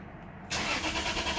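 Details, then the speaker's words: 2001 Lexus IS300, check engine light on but no codes, oil light stays on, fuel smell, ETCS and AM fuses replaced: starter spins with a hissy whirr but the engine never fires; crank no start, ETCS or throttle body suspected. "Absolutely no fire. I'm not pulling any codes despite the check engine light."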